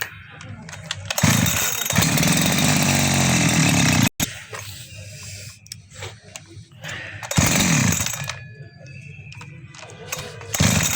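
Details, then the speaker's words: Chainsaw that started fine but died when throttled, after carburetor replaced with a new one: fires up, revs cleanly to full throttle with steady high scream, drops back to idle; now runs properly. "Check कर अभी इसको start करते हैं, check करते हैं इसको। ये भी चल गया।"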